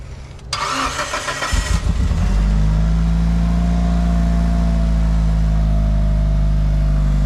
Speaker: It's quiet. I was expecting it to be tappity.